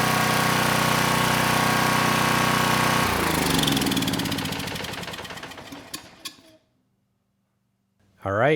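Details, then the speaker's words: Sears Craftsman 2500 W generator (model 580.327120), Tecumseh OHH60 overhead-valve engine: starts first pull and runs even and smooth with no misses or knocks, then shuts off and spins down cleanly; carburetor working well, no-load speed slightly slow. "That engine started first pull. It ran nice and smooth. So, the carburetor, it is doing a very good job running the engine."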